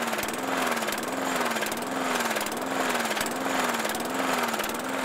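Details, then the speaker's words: Briggs and Stratton 450 series lawn mower engine, started with a drill on the flywheel, swings up and down in a steady wave more than once a second, never settling: surging idle. Owner suspects a bent governor spring and plans to replace it. "Now you can hear it going up and down, up and down, up and down."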